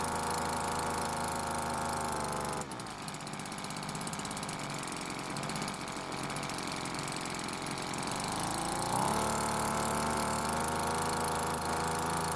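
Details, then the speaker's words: Cheap small two-stroke leaf blower that wouldn't start, after carburetor H-screw adjustment: steady idle buzz dips briefly then picks back up smoothly; starts and idles properly, L screw left alone as it idled fine. "now I didn't need to touch the L screw because it was already idling just fine so I was only concerned with the H"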